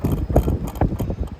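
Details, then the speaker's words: Sanyo high-wall split system outdoor condenser, indoor units powered but doing nothing: after power restored, heavy low clunks about every half second as the inverter compressor tries and fails to start. "Sounds like the compressor tries to start, and you can just hear it clunking along."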